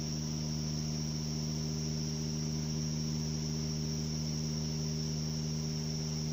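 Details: 2008 Subaru Outback 5-speed manual with reduction gear: constant low drone with a steady high whine and no knocking; bad gearbox input bearing.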